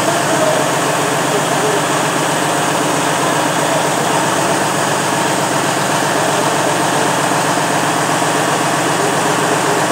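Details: Freightliner Cascadia DD15 diesel with white smoke, low fuel pressure not-plausible fault and noise when accelerating: uneven, lumpy idle clatter; cylinder cut-out test points to failing injector 4 misfiring.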